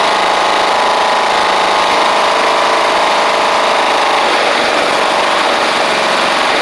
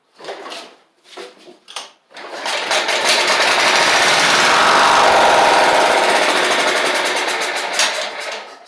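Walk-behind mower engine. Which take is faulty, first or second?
second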